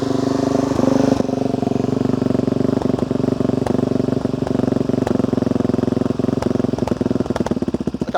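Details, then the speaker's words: Carbureted motorcycle, cold start with choke out, left idling to warm: steady idle with occasional stumbles and dropped beats growing uneven; running too rich on choke, a rich misfire. "now I'm going to leave that running for a minute and as it warms up we're going to hear a tonal difference of the way that it's running in a minute you can hear it almost sounds like it's missing occasionally"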